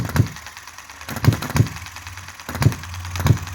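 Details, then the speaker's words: Chinese model hit-and-miss engine: single sharp firing pops at uneven gaps with quiet coasting between; running nicely and properly. "uh under there there's another spring pressing against the latch and you can back that off [Applause] or tighten it up [Music] and get that engine running so nicely"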